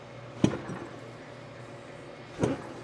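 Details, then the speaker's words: 2012 Honda Accord, right rear wheel jerked upward quickly with the car on a lift: wheel rises slightly then catches with two dull low pops, end play in a bad right rear strut causing a light banging over bumps. "how it goes up a little bit, and then it catches, and you hear that pop. So, yeah, we got a problem here."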